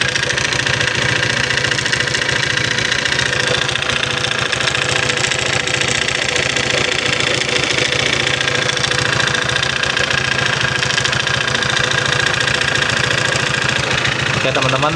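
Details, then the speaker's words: Honda PCX 150 scooter idling with the CVT opened (slider loose, rollers slightly flat, CVT judged fine). A rapid, uneven light knock of 3–4 per second persists; valves, rocker arm or tensioner are suspected. Finding: piston slap from scored piston. "Ternyata masih ada bunyi ya, Teman-teman ya. Setelah kita buka semua ini dia masih ada bunyi."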